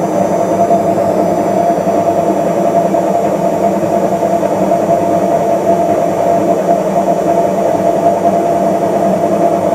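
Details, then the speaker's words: Washing machine drum on spin: quiet in normal rotation, then a loud steady roar with humming tone as the drum speeds up, from a worn drum bearing. "Şu an normal dönme modunda bakın Ses duyulmuyor ama makine hızlandıkça Sesini duymaya başlıyoruz"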